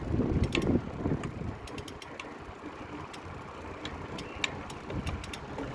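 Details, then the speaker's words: Front wheel of a carbon EliteWheels Drive 50D disc wheelset with ceramic bearings, about 60 miles old, while riding: irregular sharp clicks over road and wind noise; owner suspects the bearings. "there's like an intermittent clicking sound i'm not too sure what it is um so i'll get home and i'll check it out it might be the ceramic bearings i'm not too sure"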